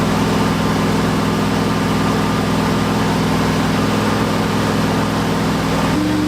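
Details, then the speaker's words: Turbo Ford F100 360 FE V8 during cam break-in; loud lumpy rough idle with uneven pulses, hard to start and timing impossible to set; timing chain later thought to have jumped, retarding timing, pistons likely hit valves. "Obviously, the timing chain failed. It must have jump time and that's probably why this thing was so hard to get running and ran like absolute and it didn't seem like we could get the timing right at all."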